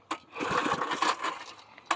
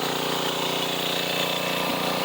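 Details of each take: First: 1990s Sears Craftsman 2400 W generator, on choke: recoil pulls spin the small engine with a ratchety whir but it never fires; no start because it had no fuel. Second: 1990s Sears Craftsman 2400 W generator after a splash of gas in the carb, on choke: steady, even small-engine drone at constant speed with no misses or knocks; fires right up, running normally and producing power.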